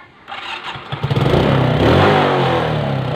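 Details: Suzuki 115cc motorcycle being troubleshot for no-start: after a second of silence engine catches and settles into steady, even run with no misfire; clean, healthy start.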